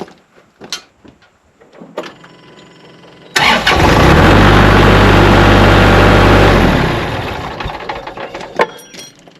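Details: Kubota tractor after battery terminals tightened, one connector still loose and needing replacement: quiet clicks, then diesel catches at once and settles into steady, even beat about four per second; starts normally.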